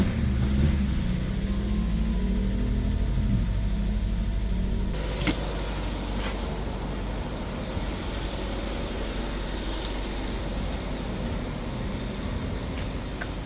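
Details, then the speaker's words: 2015 Chrysler 200 parked over a year, after a hard start on old batteries: steady low idle rumble, uneven at first then settling to an even beat; running normally, roughness likely from old gas. "That sounds good. Yeah. Starting to smooth out. Probably some old gas."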